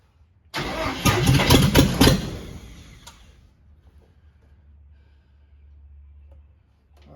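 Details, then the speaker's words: Cab-over van conversion engine after carburetor work, started with throttle opened: catches with loud uneven burst about 1.5 seconds then faint lumpy idle, still backfiring; rough running, cause not confirmed. "again that sounds better let me crank the autle up on that thing still a little back forward"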